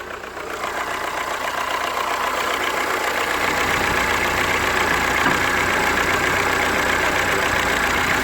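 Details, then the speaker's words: Toyota RAV4, cold start; slow starting from cold. Fast, even metallic rattle about four per second over idle, easing slightly as it settles; suspected timing chain tensioner not getting full oil pressure, like chain slap, unconfirmed. "that sounds almost like there's something five stars yeah see that sounded to me a little bit like a tensioner wasn't coming out or something"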